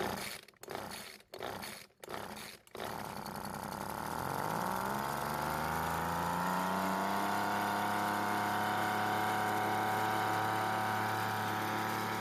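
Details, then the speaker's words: Weedeater leaf blower that wouldn't start, with recently replaced fuel lines, running after carburetor work: it catches after stuttering pulls and settles to a steady buzz short of full speed; the H (full-throttle) screw on the carburetor needs adjusting. "Well, it started and it's not getting up to full speed. It looks like we're going to need to make a few adjustments to the H or the L screw on the front of the carburetor."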